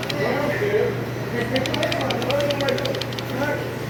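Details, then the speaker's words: Shineray motorcycle, single cylinder at idle: light, quick rattling chatter from worn clutch friction-plate tabs with play, knocking in the clutch basket; clutch rattle. "vou mostrar aqui para vocês o que ocasiona aquele barulho é o desgaste desses dentes sim ela tem uma folga aí fica batendo todo o conjunto fica um pouco uma folguinha"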